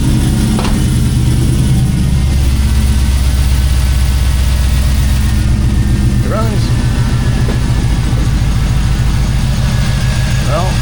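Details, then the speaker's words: K5 Blazer 5.3 LS, first start after intake gasket replacement for morning hard start, cold night; deep steady even idle, no misses, knocks or hissing, no leaks seen; normal idle. "Well, it runs. Well, it runs, so that's good to to have."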